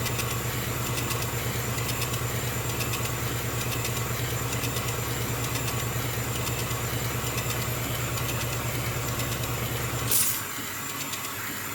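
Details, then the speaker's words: Small air compressor used with a laser engraver, cycling on during engraving: even low hum with light chatter, then shuts off cleanly; runs normally and fairly quietly. "little air compressor will keep kicking in that their first drop thankfully is not as noisy as average 50 meter air compressor can tend to come from a dental surgery"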